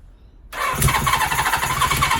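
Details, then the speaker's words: 1977 Suzuki GS750 during restoration, first start attempt with valve clearances slightly large: uneven stumbling cranking into a ragged misfiring run; one carburetor leaking and overflowing, float bowl problem; rough start. "there is leaks in the carburetors one of them's overflowing so obviously the float bowls is some sort of problem there it's sort of trying to start"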